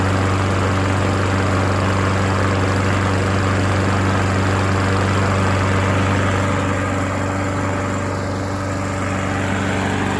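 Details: Yard Machines rear-wheel mower with a Briggs & Stratton engine, previously seized, oil refilled, first run: steady, even low drone at constant speed with no rod knock or tapping; engine running healthy.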